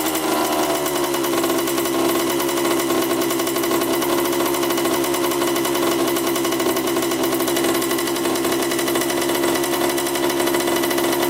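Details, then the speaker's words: 1987 Honda CR80 two-stroke dirt bike, after mixture and carb adjustment: raspy, fast, steady buzz that stays up instead of settling low; idle too high, owner suspects a missing line from the carburetor. "oils a tad high I think it's because it's missing the the line from the carburetor that goes right here"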